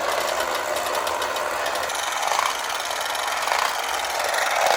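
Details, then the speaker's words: Late-1960s/early-1970s Remco Tiger Cat toy jeep on new batteries, in low gear: smooth, even high-pitched motor and gear whir with no clicks or catches; toy motor running normally. "There's high. That goes pretty good."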